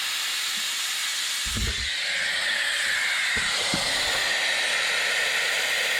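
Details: Air-driven venturi coolant vacuum filler pulling vacuum on a 2016 Ram 3500 6.7 high-output diesel cooling system during a coolant exchange: steady loud high-pitched compressed-air hiss with a few dull bumps; normal operation.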